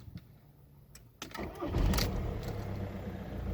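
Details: VW-group 1.9 TDI diesel after repairing the G28 crankshaft/engine speed sensor wire (no-start, fault 000802/P0322): a couple of quiet clicks, short crank, catches quickly and settles into an even idle; normal start.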